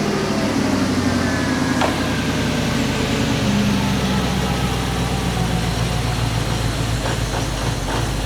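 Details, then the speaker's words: Audi R8 with an injector-circuit misfire fault, started after swapping injectors 1↔2 and 3↔4 to test whether the fault moves: loud, uneven, lumpy stumbling idle that sounds rubbish; sounds like a cylinder misfiring. "Well, it sounds rubbish."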